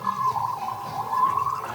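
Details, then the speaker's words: BMW R90/S ATE brakes, rebuilt with new parts, being bled: soft, steady gurgling and bubbling as air escapes while fluid fills the master cylinder until the bubbles stop; air bubbles during brake bleeding. "T'entends toutes ces petites bulles? Oui. Au bout d'un certain temps, il n'y a plus de bulles et ça commence à remplir le mètre cylindre."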